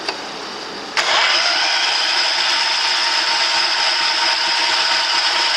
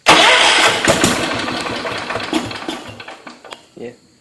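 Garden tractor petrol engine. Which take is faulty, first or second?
first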